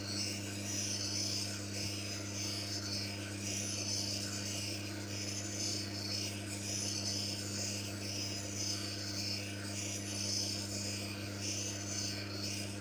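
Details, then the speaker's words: Manual lens faceting machine: dry rasping scrape returning every couple of seconds with each turn of the lens over a steady hum; lens not yet fitting the frame, about 15 more bevel turns; normal grinding. "Belum, masih belum muat. Itu berarti kita perlu memiringkannya sedikit lagi. Sekitar 15 putaran lagi."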